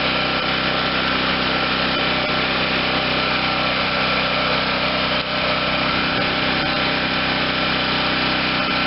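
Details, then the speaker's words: 2014 Wen 4050 garage-sale generator after new carburetor fitted, fed from a spare tank, started on first pull with choke closed: steady, even buzz, running smoothly like new with no surging, engine speed slightly high; normal idle. "okay so we got an engine that sounds like a brand new one runs smoothly no surging"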